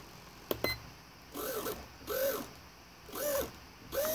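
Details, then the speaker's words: Raven fairyweight combat robot kit servo after trimming up to stop the buzzing heard before; short whirring gear sweeps with quiet steady holds and no buzzing; servo centered correctly, no longer fighting itself. "I'm just gonna hit the up trim a couple times now you hear it stop buzzing that's where we want it we don't want it to be fighting constantly against itself"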